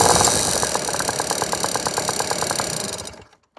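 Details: Piaggio NRG two-stroke scooter with new 70cc big bore kit, new crank and crank bearings: light, sharp tick about three per second over buzzy idle, seemingly top end; head checked, piston not hitting, cause unknown.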